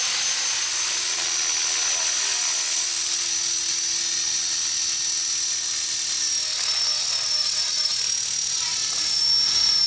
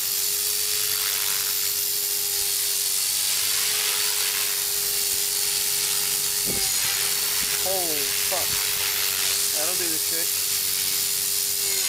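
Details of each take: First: Trex 450 RC helicopter with metal head and tail mod in flight: high rotor whine slowly drops in pitch as the battery loses power and head speed sags, tail bouncing around. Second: Trex 450 helicopter after crash rebuild with metal head and tail mod, gyro raised from 83 to 87, fresh battery: steady strong high-pitched rotor and motor whine at full headspeed.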